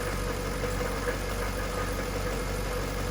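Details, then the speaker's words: 1998 Jaguar XK8 at idle: quiet idle with a low, steady grinding rumble; seller claimed a pulley, owner thinks it is not from the top of the engine; cause not confirmed. "he kept saying it's a pulley it's a pulley it's nothing and i i stood and listened to it for like 10 minutes and it doesn't sound like it's coming from the top of the engine"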